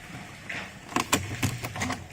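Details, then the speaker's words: Porsche Cayenne after current-draw test (40 mA asleep) and battery reconnected: short motor whir then crisp clicks and clunks as the key goes in; steering lock working normally before starting. "Everything's working. Now I can start it."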